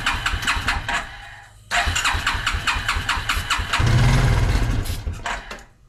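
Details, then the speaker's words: Suzuki King Quad ATV (likely 300, 1995–97), left outdoors for years: cranks on starter/lighter fluid spray, catches in brief ragged bursts, revs then dies; not drawing fuel, engine not seized, carb cleaning needed. "it's not sucking in gas up let's just run along on this engine's not locked up just got to give it a carb clean and might be good to go"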